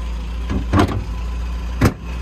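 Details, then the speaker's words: 1970 MGB GT, serviced engine with revised ignition and radiator, twin carburettors: low steady idle rumble with a couple of brief handling thumps, otherwise even and settled; idles very well, healthy. "dans ce cas on a une auto qui est très saine [Applaudissements] ça tourne très bien ralenti"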